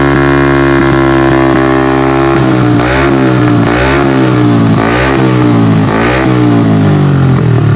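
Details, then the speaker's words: Honda Beat carburetted 130cc bore-up, after repair of rough knocking at high rpm caused by a broken piston ring area: clean, smooth repeated rev blips with no rattle or rough knock at the top end; fixed, road test pending. "Ya, suaranya sekarang di RPM tinggi enggak bunyi kasar lagi karena permasalahannya dari seharnya yang ya semplak itu ya yang bagian ringnya. Sekarang udah beres."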